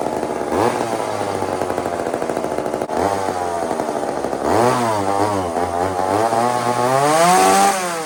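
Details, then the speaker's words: Old chainsaw (possibly 2399 or 2899 B10): revs hunt up and down without settling, erratic running. Enough fuel to fire but not to run; low-speed jet needs more fuel, possibly lean, owner suspects a fuel-line leak. "this is too erratic. So, you know that noise, right, friends? You guys know that noise, right? That's just enough gas to to get the thing to fire, but not enough to get it running."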